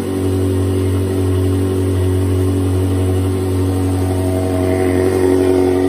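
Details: Ferrari 360 V8, first start after full engine rebuild, oil pressure pre-built by cranking with fuel pump relays disconnected: smooth even hum, steady low note, no knocks or ticks; normal running.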